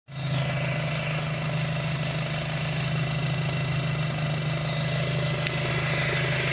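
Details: 2007 VW GTI petrol engine idling: a steady, moaning whine over a low hum that persists after a timing belt replacement; cause unknown.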